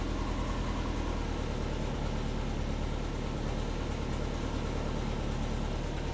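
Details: Subaru Forester SF5 converted from auto to 6-speed manual: low, steady even idle with no pops or backfires after reverting to the base fuel map; runs far better than before.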